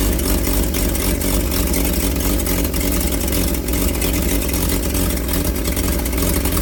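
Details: Old carbureted truck engine, not run in 30 years: steady, full drone on choked fast idle, even, with no misses or knocks. Oil pressure about 42 psi, nearly 50 revved, slight smoke while the rings seal.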